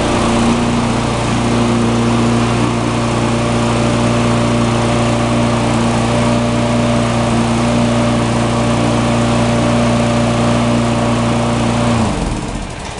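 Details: Tecumseh mulching mower, formerly surging, after carburetor repair (part 632547 at the emulsion tube base, idle-circuit plug found): even, steady drone with no surging for twelve seconds, then a clean shutdown. It runs great.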